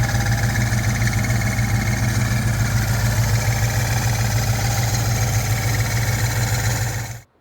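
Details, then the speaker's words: 2000 Ford Explorer XLT 5.0 V8, Meziere WP374 electric water pump before repair: deep steady hum with rhythmic knock about three times a second; broken retainer ring lets idler assembly contact pump body. "and here is with the retainer ring having broken and the actual idler assembly making contact with the pump body"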